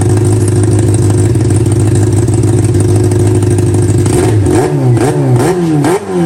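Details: Honda CB400 four-cylinder with four square carburetors in an off-road golf cart, idle being balanced across the carbs, throttle linkage not yet fitted: steady even low hum with clean quick blips; smooth, balanced idle.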